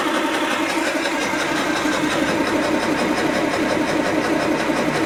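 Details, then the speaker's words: 1929 Austin Heavy 12 after magneto, dynostart and carb checks, extra fuel added to the float: uneven coughs about one and a half per second while cranking, never catching; fuel later seen leaking from the back of the carb. "it's definitely wanting to go it's coughing come on that"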